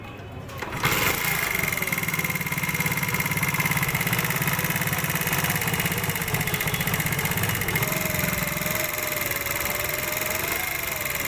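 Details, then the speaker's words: CD 70 / Chinese 70cc motorcycle engine starting and idling with a busy metallic ticking clatter, caused by very loose (excessive clearance) tappets, before tappet adjustment via removing the gear lever and side cover. "Us motor cycle کے engine سے کتنا شور آ رہا ہے ؛ یہ شور اس لیے ہو رہا ہے کہ اس کے ٹیپ بہت ڈھیلے ہیں۔"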